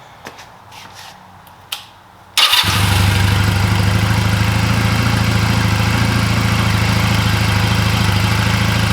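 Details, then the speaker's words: 2004 Honda Rebel CMX250C twin after rough idle on new NGK CR6HSA plugs, old plugs reinstalled: engine fires and settles into a steady, even idle with a regular beat; runs fine. "that seems better seems pretty even all right so that seems to be running fine with the old plugs"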